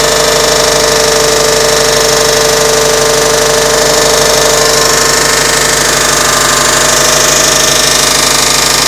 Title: 2006 Subaru Legacy GT engine clicking noise